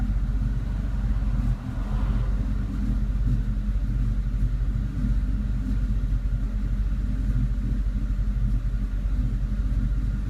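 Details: Idle misfire on a 2002 Mustang GT V8: deep idle lumps and stumbles unevenly with occasional missed beats, also when holding revs without load; runs perfectly once driving. Owner suspects a leak of some sort.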